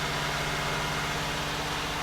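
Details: 1989 Buick Reatta after a new ignition control module (idle air control valve replaced earlier): steady, even idle with no misses but held noticeably fast; high idle, and the owner suspects the throttle position sensor needs replacing again.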